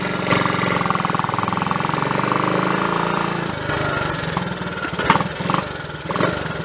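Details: Triumph Tiger Cub single-cylinder motorcycle, cold start on a frosty morning, warming up on half choke: a steady, even thump with no misfires. This follows fitting a new carburettor slide, needle, needle jet and main jet to lean out a rich mixture.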